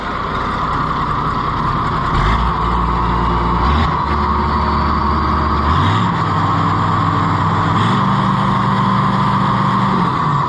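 Diesel tractor engine runs steady and strong, revs step up and hold without misses or knocks; sounds healthy and ready to work.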